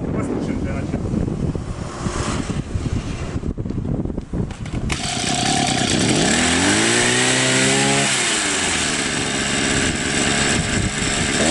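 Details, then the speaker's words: Two-stroke string trimmer after replacing a damaged starter-side crankshaft seal that caused crankcase air leak: rough handling noise, then steady buzz that revs up cleanly and holds even, no surging; runs perfectly without adjustment. "не надо настраивать все работает отлично"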